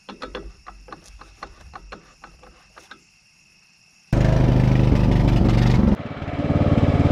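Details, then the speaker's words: Craftsman LT1000 riding mower after engine swap (old engine locked up): clicks, then fires and runs steady and strong with an even beat, slight misfire expected to clear once run in. "all right she's running uh she's running pretty good um slight misfire but you know i think once uh when she's running for a little bit she'll be just fine sounds pretty good"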